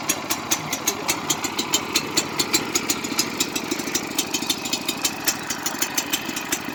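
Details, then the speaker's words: Trencher small single-cylinder engine idling fast and uneven with sharp regular pops; throttle linkage loose, dies when throttled down; stalling at low throttle. "Seems like it's barely, because it shouldn't turn off when I do that."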